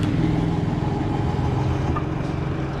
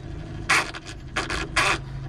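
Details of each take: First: Toshiba 9 kg washing machine that made noise and would not spin-dry, on spin cycle at rising speed: even low drum rumble with no grinding or rattling; bearings sound fine. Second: Toshiba 9 kg washing machine that won't spin dry, noisy underneath: harsh rasping grind about every half second over a low motor hum; drive motor is fine but its two gears are stripped and slip, to be replaced.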